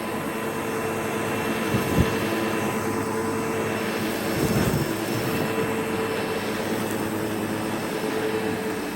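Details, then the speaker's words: Sebo X7 upright vacuum running on boost over carpet after a bag change, no blockages. A strong steady motor drone with a constant high whine and only brief bumps as it moves. Suction is normal and it cleans well. "Yeah, much better. So you can see that the Sebo done a phenomenal job on this carpet, and that's why it's a very adequate machine for this environment."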